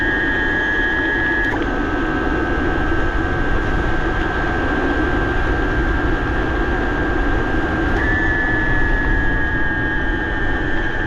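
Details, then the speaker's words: BBS02 e-bike mid-drive motor after conversion to 72 V, 42/32 gearing, ridden about 31 mph in first gear under 1,000 W; steady high whine over road and wind noise, stepping with load. Owner suspects something inside out of whack, unconfirmed. "it's going 31 m an hour in first gear with less than 1,000 Watts that was kind of downhill but this will loud though man this thing's crazy"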